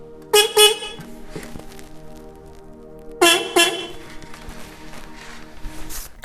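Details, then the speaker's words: New replacement horns for a 1987 Kawasaki GPZ600R (ZX600A) Ninja rebuild: two loud short double toots, clear bright steady pitch; horns strong and working properly. "I've got myself a nice set of horns here. Ooh, that's loud."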